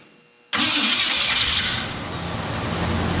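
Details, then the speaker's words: Neglected 1968 Mercury Cougar first start in 5 years after a washer fell out when the starter was removed: engine catches sharply and settles into a steady even run with no rhythmic knock; rods sound fine, oil pan still needs fixing. "well doesn't sound like the rods hit them so that's good but definitely need to get in there and fix that oil pan"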